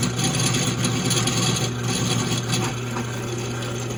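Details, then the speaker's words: Cheap drill press cutting a countersink in metal with cutting fluid: steady motor hum broken by chattering bites that drag the speed down as it bogs; the operator suspects an untightened chuck and the cheap unit. "So that was bogging down a little bit. I think that's probably more to do with me not tightening down the chuck and this kind of being a cheaper unit."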